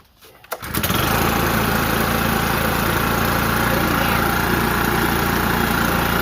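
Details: New Echo PB-5810T backpack blower, first run after checking valve adjustment: catches after a short pull and settles into a steady, even drone at low throttle; no misses or rattles, running healthy.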